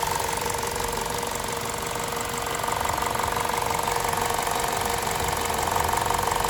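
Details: VTi 120 petrol engine, 137,700 km, warm idle: fast steady ticking roughly three per second from the left side of the rocker cover; valvetrain noise, cause not pinned down.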